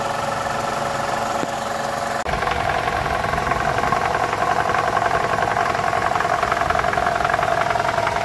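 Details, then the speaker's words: 2012 Toyota Camry 2.5 2AR-FE idling with the AC on after a balance shaft replacement. A soft, even clatter underneath but no heavy knock. The earlier rattle is much improved. "so we've been running for about 10 minutes we're at normal operating temperature and this is the noise so it's way better"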